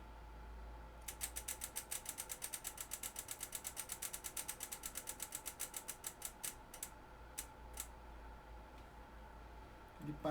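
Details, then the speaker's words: Homemade rudimentary electric motor, coil on about 7 volts, started by a flick: sharp clicks about six per second slow, stutter and stop; stalls because the rotor is poorly adjusted. "para porque ele não está bem regulado."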